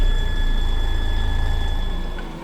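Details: DAF CF truck that cranked but wouldn't start because the engine computer wasn't responding. After repairing open wires in the engine harness (CAN/power), the diesel fires and throbs with a deep, even low beat, then drops away. It starts and runs normally.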